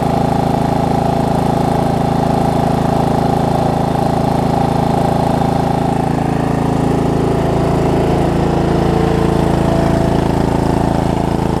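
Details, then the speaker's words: Murray riding mower idling, to be left running about ten minutes to burn off residue after cleanup: smooth, even low putter at constant speed with no misses or knocks; idling healthily. "just gonna let it run for maybe a good ten minutes walk cleaned up I think stuff to burn off"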